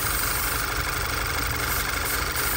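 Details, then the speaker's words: VW 2.0 TSI (Tiguan) with a P2187 code and a rear main seal leak blamed on the PCV; a steady idle with an uneven lumpy churn, unchanged when brake cleaner is sprayed on top, so no top-side vacuum leak. "snow change still Idols rough it means it's not leaking vacuum anywhere on top that's good bad for me but it's good and"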